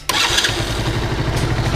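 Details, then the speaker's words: 50cc motorcycle after repair of a starter-motor noise: a quick electric-start crank in neutral catches right away into a steady, even single-cylinder putter with no grinding or clatter. The starter now works properly. "botão de start eu tô funcionando perfeitamente"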